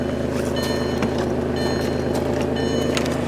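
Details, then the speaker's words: 2002 VW Passat that had been no-crank, no-start, fixed by drying out the engine computer with a hair dryer: the engine settles into a steady, even idle with a repeating electronic chime over it, so a normal idle. "it's running I don't have to push those sweet"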